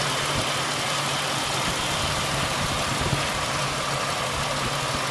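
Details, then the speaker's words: 2001 Mazda B4000 (Ford Ranger) idling after idler pulley replacement, restarted once a socket wrench left on the tensioner fell out; steady, even, quiet idle with smooth hum, no knocks, ticks or squeals, no check engine lights; normal idle. "Everything seems to be running true and straight and quiet."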